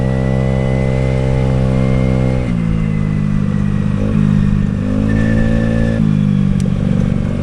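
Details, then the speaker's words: Honda Today 50cc scooter, high mileage, after fixing the vacuum fuel pump and CDI issues; small two-stroke buzz rising and falling cleanly with throttle, no stumbles; running sweetly, though the starter doesn't disengage correctly. "this little thing is obviously running really sweet now."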